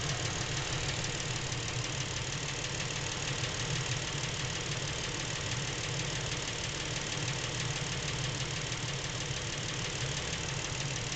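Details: Lincoln MKX with 7,000 miles, knocking since new and getting worse; steady idle with light uneven knock under engine drone, from back of the motor away from cam phasers and chains; dealer could not hear it, source undetermined.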